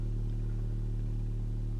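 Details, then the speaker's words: Aiyima P600 bookshelf speaker playing a steady low bass tone with a buzzy overtone and faint rattle, less pure than a comparison speaker. The reviewer thinks it is an air leak at the front; it is the same on both woofers, so not a defect. "Hear that overtone in the bass? When I switch to the Fozzy, it's a much purer tone."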